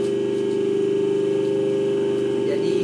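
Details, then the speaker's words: Hydraulic power pack for a stage lift, 140 cm cylinder, 5 cc pump, tested at night: steady quiet mid-pitched hum with smooth pump ripple, no knocks or squeal; runs silent and normal. "Tapi ini bunyinya udah silent teman-teman. Coba ya. Ini malam ya. Ini malam hari."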